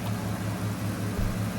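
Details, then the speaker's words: Deep, steady low idle rumble from a 1995 Ford F250 after a tune-up with new plugs and fresh gas, run briefly without coolant; no knocks, misses or hunting. "Sounds good. I think the old girl just needed a tune-up. Fresh gas, but she's sounding pretty good."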